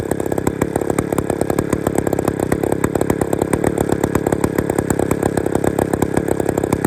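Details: Old Bolens gear-drive two-stroke chainsaw, never heard running before, on brand-new piston rings with little runtime and no bar and chain fitted: crisp, rapid firing at a fairly even rate holds on its own without dying. It runs properly.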